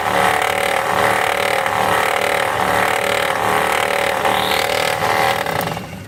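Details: 2005 Volvo V70, engine running: steady raspy whir with high droning tone from the clutch-type alternator pulley, which wobbles side to side; alternator's own bearing also found worn.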